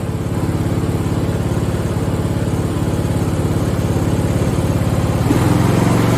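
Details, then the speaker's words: Free Craftsman lawn tractor (part 917.273760) single-cylinder engine after carb and fuel fix, running without the air filter; runs with a steady, even fast thumping, no stumbles or surging, sounding much better than before. Normal running. "So my fingers are crossed. Woo! That sounds a lot better."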